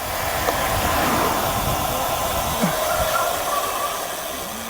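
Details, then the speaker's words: Road bike disc brake with resin pads in a pad comparison. Soft, even hiss with a faint thin ring and no harsh squeal; quietest of the pads tested, noise level -6.5 and perceived loudness -20.5. "Resin pads were the quietest of the bunch, producing a relatively mild sound as -6.5. The perceived loudness measures -20.5, reflecting the resin pads are generally quieter and less aggressive sounding during the brakes."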